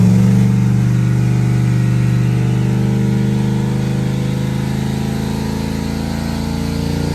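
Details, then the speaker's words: Turbo LS2 Camaro after new lifters and heads checked: deep, even, steady drone holding on the two-step rev limiter, reaching nine pounds of boost, all eight cylinders firing cleanly with no misses or knocks. "all right gets up on the two-step seems to be working pretty well sounds good running on all eight"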